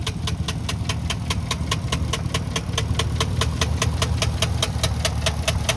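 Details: 2013 Chevrolet Caprice 2WD sedan idling with a sharp, even ticking knock about two and a half per second over a steady rumble; clear engine knock, sold as tow-away.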